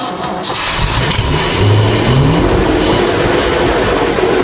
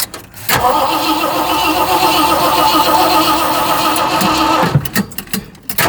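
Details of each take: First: Old Ford engine after fitting a cheap aftermarket carburetor, no air filter, first start: catches, revs briefly with rising pitch, then settles to an even, slightly high idle running smoothly. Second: Cranking with no start on a newly installed cheap aftermarket carburetor; starter churns about three turns a second in two long bursts but never catches, likely fuel starvation, suspected low fuel or fuel pump ruined by bad fuel.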